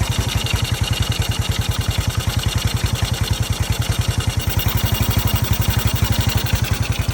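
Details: 1981 Yamaha SR185 single-cylinder after replacing faulty TCI with Ignitech, aftermarket carb, choke off: steady even idle about ten pulses a second, no misses or pops; clean running, previously bogged and backfired from weak spark.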